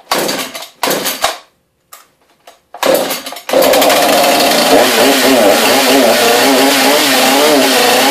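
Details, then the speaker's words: New Husqvarna chainsaw on its first start after fitting bar and chain, choke out, primer bulb pumped, chain brake off: a few pull-cord bursts, then it catches and settles into a steady, even high buzz with no stumbling; running healthy. "sounds a little better this should just sit idle sounds like it might do the job"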